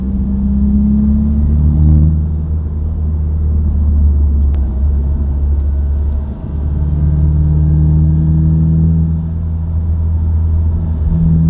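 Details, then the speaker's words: Subaru WRX, inside cabin while driving: steady low hum and drone under road noise, unchanged by gear, revs or clutch in, rising with speed; dealership diagnosed broken center diff viscous coupler. "but it's basically like a noise, a humming noise, or like a whining noise that isn't dependent on your gearing or your revs. So you'll hear it just all the time."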